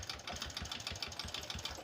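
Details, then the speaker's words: Honda Supra 125 motorcycle smoking badly with exhaust full of oil, idling rough and very unpleasant: uneven idle with fast, irregular metallic ticking over a ragged exhaust beat. "Oke, untuk bagian mesinnya kita bisa dengarkan bersama-sama dan sangat-sangat tidak nyaman ya teman-teman."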